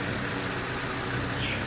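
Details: 2008 Hyundai Sonata 2.4 petrol engine: uneven, lumpy idle with an irregular stumble in the exhaust beat, a cylinder misfire. Cause not pinned down; suspects include plugs, coils, fuel delivery, sensors or injectors.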